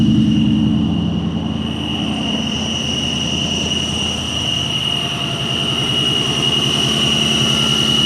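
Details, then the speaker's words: Modded SN95 Mustang GT converted from automatic to manual, with a heavy clutch pedal: a loud exhaust idle with a constant high-pitched whine, unchanged by revs; it came and went while driving. Worn throwout bearing suspected. "Now the clutch felt like it was fine. It did engage. But I'm here to tell you. Oh my goodness. That's a throwout bearing. That's a throwout bearing."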